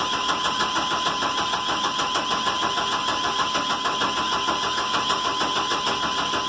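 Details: Chevrolet 1500 4.3 (owner says 86), brake cleaner sprayed into intake: steady cranking about three pulses a second, never catches or fires; owner suspects no spark.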